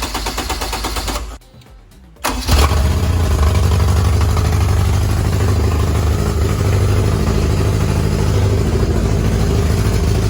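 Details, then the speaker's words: Honda engine swapped into a Smart car, running from a temporary fuel tank under the car with little fuel: brief crank, clean catch, steady even low rumble, no misses or knocks; starts and sounds good. "running out real fast, so I had to shut it off. But yeah, starts and it sounds good."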